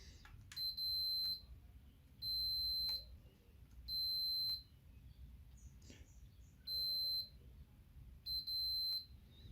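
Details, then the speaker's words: Logitech G910 keyboard key switch with double-registering and dead keys, multimeter continuity beep test: steady high beep on each of five presses, two breaking up as the key switch contact drops out. Intermittent physical switch fault. "I can see the movement on the test every time it goes slowly there's also a double tap so it's definitely something physically wrong"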